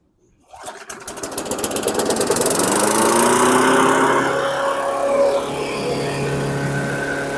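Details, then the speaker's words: 2008 Weedeater 22-inch 500 series mower, engine model 10T502, brought back as a no-start; it catches with rapid pops, revs high, then wanders and sags, plug cable arcing through the boot, throttle spring suspected. "wow it kept running it was sparking through the rubber boot okay so the cabl screwed up and there's sounds like there's something wrong with the throttle here the throttle spring so let's look at that"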